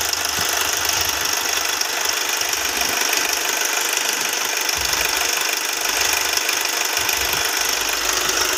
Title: hyundai venue timing chain noise